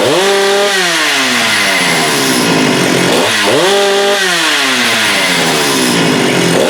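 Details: Husqvarna 394 chainsaw with HyWay Titanikel 58mm big bore pop-up cylinder (395 project), cold day; with aftermarket carb replacing OEM, no-load revs snap to a steady high scream near 12,100 rpm (was 10,500-10,900) and drop back smoothly, no stumble or flat spots: healthy.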